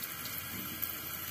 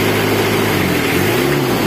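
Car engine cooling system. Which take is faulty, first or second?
first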